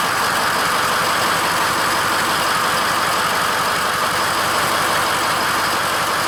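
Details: Ford F-550 6.0L diesel dump truck started after letting the glow plugs cycle, following a no-crank: even, steady idle with no misses, knocks or surging while the alternator charges the right battery to about 13.1 V; normal idle.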